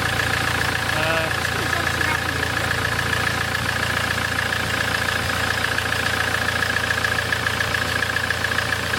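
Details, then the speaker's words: Land Rover Defender 2.4 Puma diesel just after an injector service and fuel bleeding, done for excess pressure chuffing from the oil filler; it used to spit oil. It settles to an even, steady idle, about 214 beats a minute, no knocks or misses. Normal idle. "sounds pretty sweet [Applause] though [Applause] that used to spit spit oil all over"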